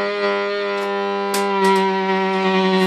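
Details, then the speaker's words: VOX AD30VT modeling guitar amp: steady raspy low buzz with a honking edge, motorboating on some models as the amp heats; cause was an overheating 7815/7915 15 V regulator (IC5/IC6), fixed by replacing both. "seems like these ones with the modeling have got a problem it sounds like a dog farting"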